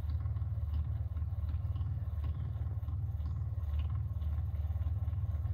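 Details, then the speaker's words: Onan QG 5.5 generator before an oil change: low even pulsing hum at about two beats a second from the fuel pump during priming; normal fuel pump priming. "i'm gonna do a prime maybe you can hear it look there's the fuel pump down there"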